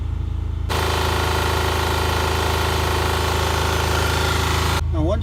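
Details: Onan 3200 generator in a Tiffin Wayfarer RV after an oil change refilled with the exact drained amount, checking for leaks: fires up and holds a steady even thrum, no surging, knocking or misses: normal running.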